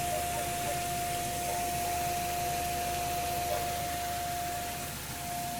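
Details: 2002 Ford Escape with a weird humming after driving for some time: a steady mid-pitched hum sits evenly over a hissy background throughout; source not clear.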